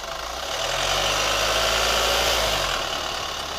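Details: New Chevy Colorado at idle: a light, even ticking about four per second over a steady idle, with a rubber squeak also reported; a top-end tick, cause not yet pinned down.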